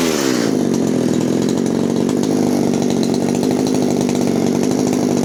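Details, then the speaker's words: 1997 Echo HC-2300 two-stroke hedge trimmer after replacing cracked carburettor fuel lines and setting H, L and T screws, started on choke: revs drop after blip into steady even buzz without stalling; runs properly. "donc voilà une pure réussite"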